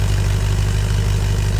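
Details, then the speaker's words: Land Rover Discovery V8 with degraded exhaust: deep, loud, unmuffled throbbing burble at idle with even pulses, before a new stainless muffler and downpipes are fitted. "I don't know I'm sure the Raptor coat Brigade think it sounds pretty cool but I don't personally feel the need to hear my lack of Cam Shaft from outter space"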